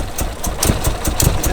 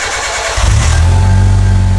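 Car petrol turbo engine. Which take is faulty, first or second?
first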